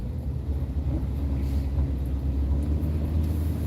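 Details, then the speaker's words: Car being driven after repair: steady low engine and road rumble with no rattles or knocks; the rattling heard before the repair is gone. Some warning lights are off. Tires need air. Normal driving. "But yeah, all the rattling and all that stuff I was hearing before, I don't hear now."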